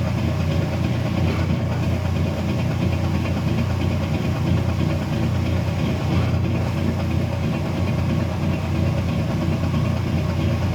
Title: Weird clicking noise when draining kenmore 70 series washer.